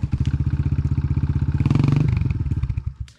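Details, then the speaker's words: Asix 250 enduro motorcycle: loud even knock about four times a second over a lumpy idle; rider suspects something loose striking the engine rather than an internal fault; not confirmed. "Ej, coś ci bije, ale to nie jest nic w silniku raczej. To raczej coś bije o silnik,"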